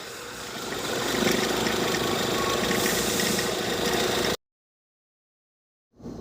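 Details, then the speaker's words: Tata Harrier automatic idling with noise from the engine side. Busy, rattly whirr from the belt end, then it cuts out; auto tensioner suspected, alternator belt to be removed to check. "देखो दोस्तों, इसमें लगा engine बगल से आवाज आ रही है।"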